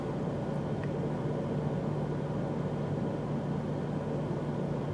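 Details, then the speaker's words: 1997 Mercury Grand Marquis 4.6L with a skip at idle and low rpm, no engine light, fuel trims high (14 and 18): at this moment the idle is steady, even and smooth with no audible skips. Sounds normal. "Well, I can tell right off the bat things are, I mean, it sounds really good."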